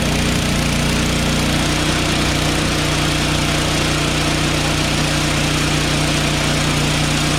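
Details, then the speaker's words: Craftsman 5.5HP 24-inch two-stage snowblower after valve grind for low compression and stalling: single-cylinder engine runs steadily at even fast beat, no longer stalls with auger engaged, idles cleanly and more powerful. "remember when we engaged the auger it would stall it's not stalling [Music] [Music] that's idle so there you go man it's way more powerful than before"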